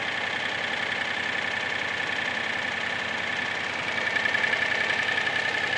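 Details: Mitsubishi Space Star at idle: steady light clatter, about three knocks per second, over the engine hum; piston slap.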